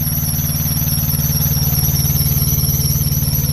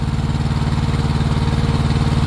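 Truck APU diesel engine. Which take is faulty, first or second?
first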